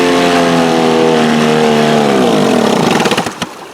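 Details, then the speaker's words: 1948 Sea King 5 two-stroke outboard (Montgomery Ward, made by Gale), 75 years old, rebuilt carburetor, coils and points swapped: runs steady and even at high buzzing pitch, then slows into separate pops as it shuts off; runs fine. "This thing probably hasn't started in a long, long time. Hey guys, not bad for a 75-year-old engine."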